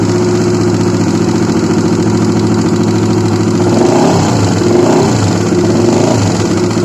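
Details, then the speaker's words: Honda CBR150 at idle with a brief throttle blip: rough, clattery running with a clack from the middle of the engine, which began after it ran completely out of oil and persists after an oil change; damaged parts not yet identified. "Ya oke, jelas ya suaranya seperti itu. Jadi ini awal mulanya itu kehabisan oli ya. Olinya sampai kosong blong."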